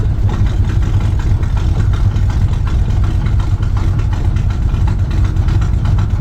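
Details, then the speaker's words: Truck engine after camshaft swap for an oversized cam, mechanical advance only, timing about 18°, stock torque converter: steady, deep, slightly loping idle that holds without stumbling or stalling; normal idle. "No, it's idling happy, which is good. God, that sounds so good."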